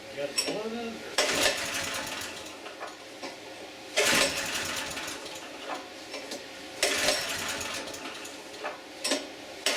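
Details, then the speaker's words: Auction generator with a little gas, choke on, in run position: repeated recoil pulls every few seconds with only the odd weak pop and no catch; acts like it's not getting gas. "So, got the choke on. It's in the run position. Let's see what happens. Uh-oh, we got a pop."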